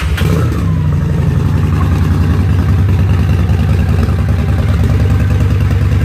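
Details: Honda VT750DC after hole-saw intake mod without re-jetting: uneven idle with loose clattery pulses, backfire, stumbling and hesitating on revving with poor throttle response; running lean, jet kit (stage 2) planned as the fix.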